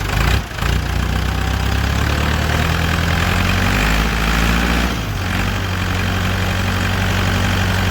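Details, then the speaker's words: Massey Ferguson MF30 tractor diesel restarted and refilled after running completely out of oil when the drain plug fell out: steady, even low idle with no knocks or rattles; it sounds unchanged and healthy. "It doesn't sound bad. Doesn't sound any different than it used to."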